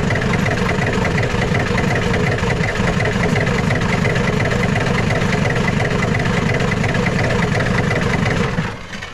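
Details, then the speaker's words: Ford 7.3 IDI diesel after reconnecting glow plug wires: long, uneven labored cranking for about eight seconds with no clean catch. Air in the fuel system suspected. Extended cranking before start. "might be dealing with some uh air in the system"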